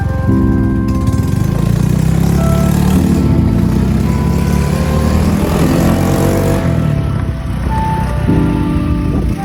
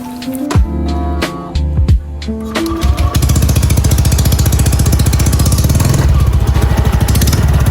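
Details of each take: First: Honda Beat Deluxe scooter after fixing a front CVT rattle under throttle, now with 8 g rollers and a 1500 spring. The engine revs smoothly with no rattle, over music, with a slight puffing exhaust leak: smooth CVT. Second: Honda Beat Deluxe scooter being revved: a fast, dry crackling rattle from the front of the CVT, likely the front pulley, caused by a worn, loose roller slider.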